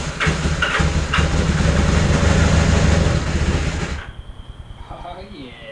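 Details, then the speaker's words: Old twin motorcycle stored about 30–35 years, given battery charge, fresh oil, new spark plugs and filed points: catches and runs with a lumpy low beat for about four seconds, then dies. "So this bike's literally been sitting for like 30 years, and all we did was give it some battery juice, some fresh oil, some fresh spark plugs, and file some poi"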